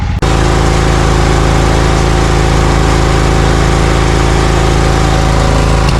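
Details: Briggs & Stratton Vanguard 20 HP V-twin on a zero-turn mower, losing power when hot: steady lumpy low drone with uneven beat at fast idle; heat-related misfire, running on one cylinder.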